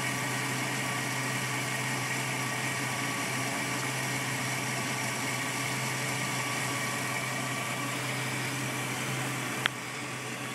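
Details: 2004 Jeep Overland 4.7 L H.O.: slight rough, lumpy idle with an uneven exhaust pulse, plus a driver-side tap from a fender vacuum line connection; cause turned out to be clogged catalytic converters, which needed replacing.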